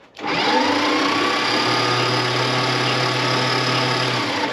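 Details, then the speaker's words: 1976 Dodge D600 truck, small-block V8 (possibly 318), sitting since 2000, after freeing the starter solenoid: steady even whirring as the engine spins over freely without firing; ignition box appears to have leaked. "it over no problem now we've got it turning over our next step is obviously going to be fire"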